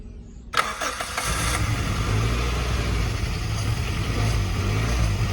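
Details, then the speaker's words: 1991 Suzuki Swift 1.6 AWD saloon, carburettor: sharp crank, then fires and holds a somewhat uneven idle only on fuel poured into the carb; owner suspects something blocking fuel into the carburettor, fuel and pump possibly okay. "maybe the fuel's not completely bad and the pump's okay there's just something stopping the fuel getting into the carburetor basically"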